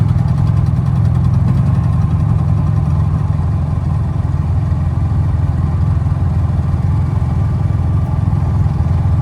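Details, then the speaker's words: Honda generator on a CUES splicer lab truck, warming up after a cold choke start, with Eco Throttle that varies rpm with load: loud, steady, deep drone with an even thrum and no misses or knocks; normal running. "It says Eco Throttle, so you can put it on Eco if you want to reserve fuel, and it'll kick up and down as you draw power."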